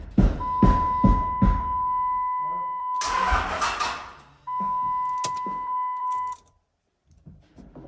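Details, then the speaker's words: Diesel truck with no fuel yet connected; a line to the CP3 high-pressure pump is still being run. Steady slow cranking at about two and a half beats a second with a dash chime; it turns over but never catches. Crank, no start, no fuel. "we're just trying to crank it it's not going to start there no fuel system sounds healthy"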